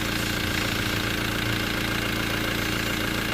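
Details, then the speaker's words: VW T4 diesel just after fuel filter replacement and fresh oil fill, running a minute to circulate oil: even diesel idle clatter about three and a half pulses a second, no misses or knocks; healthy idle. "As you can hear, she's running. Fuel filter. All installed. Oil's filled up."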